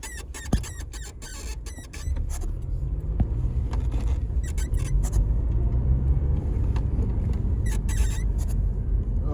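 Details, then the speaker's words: Clutch pedal pivot squeak on a Honda Civic FN2 Type R: high, creaky squeaks in bursts each time the pedal moves, over low engine rumble; spray grease lasted about two weeks. "hmm does your clutch pedal sound like this"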